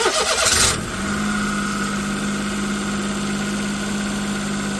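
Engine catches and settles to an even idle with a steady drone and a faint higher whine riding over it; cause not evident. Cause suspected, not confirmed.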